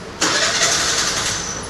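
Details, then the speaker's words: TVS Scooty Pep+ starting problem: engine catches sharply then sags and fades instead of idling, dying right after starting or when throttle is touched; cause unknown. "Just బండి start అవుతుంది వెంటనే ఆగిపోతుంది బండి start అవ్వడం వెంటనే ఆగిపోవడం"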